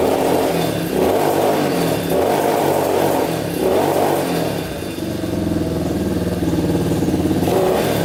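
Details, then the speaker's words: Yamaha Warrior 350 quad after carburetor cleaning, fresh gas and idle adjustment: single cylinder surges and sags with a blubbery, uneven beat, running rich and bogging under throttle; blockage in the exhaust pipe suspected. "Alright, you can hear it's kind of running good, kind of not. So it was running good at first, and then it kind of like shuts off and bogs down."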